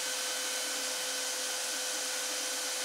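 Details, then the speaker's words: 3D printer (RAMPS 1.4, E3D V6 hot end at 190) with the case opened: the hot step-down unit is noisy, and warm air blows from the power supply unit's fan. A constant airy whoosh with a fixed high whir. "Now you can probably hear a lot more noise. It's this unit that gets hot. Nothing else, it's this. Well, I can feel, it feels like warm air blowing out of this fan here on this power supply unit."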